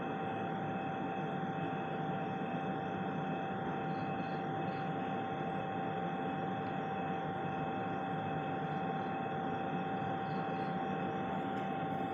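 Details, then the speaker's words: Ice-making plant heard from a neighbouring house through a slightly opened window; loud, constant drone with a steady mid-pitched howl that the resident says causes ear pain; the plant is running normally. "โอ้โหเสียงเครื่องทำน้ำแข็งจากโรงน้ำแข็งมันทำไมมันดังอะไรได้ขนาดนี้เนี่ย"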